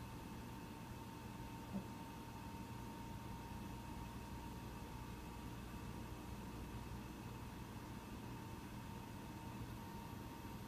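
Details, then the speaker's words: Mac Pro 1,1/2,1 with 32GB RAM running the Geekbench 3 benchmark: a soft steady whoosh with a faint constant whine and no rattle or pulsing. The fans ramp up only slightly late in the run, normal under load. "if you've noticed in the fans on the Mac Pro I'm not sure if you can totally hear it but the fans did ramp up in the last half minute or so just slightly it was still quite quiet"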